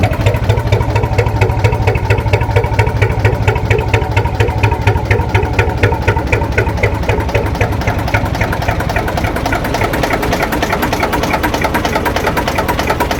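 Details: Lister JS3 three-cylinder diesel narrowboat engine, around 40–42 hp, just started: steady, even chug at a relaxed idle, regular firing with no knocks or misses; healthy normal idle.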